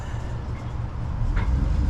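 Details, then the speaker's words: New 30 hp pull-start Suzuki outboard on a Gemini 3200 catamaran, oil checked, idling with a soft, even low rumble and no knocks or rattles. It is very quiet and healthy. "oil's good and she is the quietest motor I've ever seen or ever heard, I should say."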